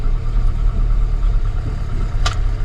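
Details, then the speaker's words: 1981 Volvo 244, M46 gearbox with overdrive, after clutch change: steady low idle rumble, then a light click as reverse engages with no crunch; new clutch disengages cleanly and smoothly. "But I can now put the clutch in, goes in reverse with no crunch, and we start moving back."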